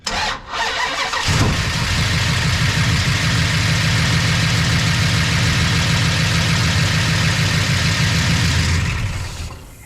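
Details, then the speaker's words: Engine first start after ignition box rewiring: fires and settles into fast idle with light ticking over exhaust rumble; owner hopes lifters quiet down, suspected lack of oil to lifters on start. "Well, hopefully the lifters quiet up cuz that sounded like it wasn't getting any earl"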